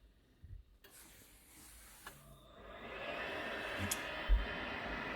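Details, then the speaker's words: Worcester Bosch boiler after checks for a C7 fault, powered up with a central heating demand: the fan spins up into a steady rising hum, then the burner lights with a soft even roar; normal start and firing. "Right, I can hear the fan running now. It's going through the process. Hopefully, because the central heating demand on, and should fire up in a minute."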